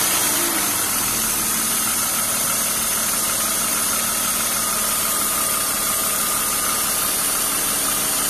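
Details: BMW E36 328i Cabrio M52B28 at idle: loud constant hiss from under the intake manifold with faint irregular rattle seemingly from the engine, not the Vanos; owner suspects old oil, change long overdue; cause unknown.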